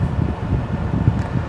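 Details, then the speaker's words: VW T5 Transporter 2.5 BNZ after fixing intermittent A/C fault and servicing squeaky heater fan, 21 °C outside: steady soft cabin fan rush with low even hum, no rattle, cold air; normal A/C blower operation. "Feels like we've got cold air coming through. Let's check the pipes in the engine bay. Fans running."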